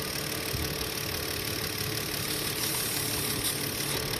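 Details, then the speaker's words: Kia Sedona van with oil pressure light on, idling and revved; light fast rattle about three beats a second over a hissy idle, valvetrain clatter worse on gas; low oil pressure suspected of starving engine of oil, strong crankcase vacuum noted, before engine flush. "see that rattling sound there well that's because the oil pressure is not up to what it's supposed to be and the engine is starved of oil so when I give it gas their valves rattle more"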